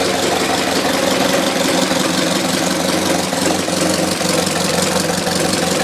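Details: 1919 Ford Model T Speedster engine under 1000 miles since rebuild, recorded inside the firewall where it is loudest: busy idle with an uneven knock about three per second; also heard accelerating or cruising; owner unsure it comes from the back of the engine.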